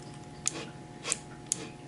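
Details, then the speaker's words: Printrbot Simple Maker's kit 1405 Rev F 3D printer: three sharp light ticks over quiet room hum as the axis reaches end of travel and the end stop switch clicks, working normally. "Esse barulhinho aí foi o sensor de fim de curso chegando ao final do motor. É para isso que ele serve."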